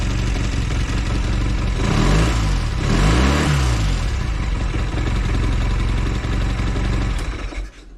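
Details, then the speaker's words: Velocette LE after tweaking clutch, points and timing and resetting an adjustment to the middle of five positions: engine rises and falls smoothly through a couple of blips, no misses or ticks it used to have, then drops back; normal revving. "Seems a lot better. It sounds like it's running smoother at idle as well."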